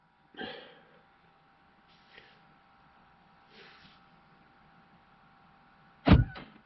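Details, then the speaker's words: 2009 Buick Lacrosse lock-all-doors command from an Xtool D8 scan tool actuation test: a quick burst of sharp clunks as all the lock actuators fire together; the power door locks work normally. "what else you know what the door locks we'll lock all doors you should be able to hear that"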